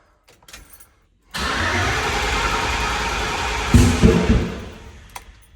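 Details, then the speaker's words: 1984 Chevrolet K10 with newly built LS engine, first start with carburetor: catches and runs rough, then sharp pops and thumps before stumbling and dying; backfire through the carb, too much gas, timing and carburetor issues suspected. "There's too much gas, but that was a backfire."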